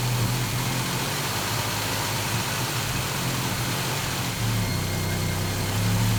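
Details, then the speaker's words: 1969 Volvo 164, first start of the freshly rebuilt inline-six with ignition at 16° BTDC: a steady, fairly quiet, smooth low-hum idle with a small lift in speed near the end; normal idle. "sounds so good she's so quiet up there that's amazing"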